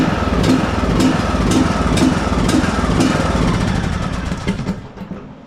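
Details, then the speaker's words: John Deere D110 riding mower, 19 hp Briggs & Stratton, Nikki carburetor, before carburetor replacement: heavy rhythmic surge about twice a second, won't hold steady speed, then winds down; surging, carburetor blamed. "oh have you ever seen one surging that hard before good grief Woo new carburetor new set of blades full service"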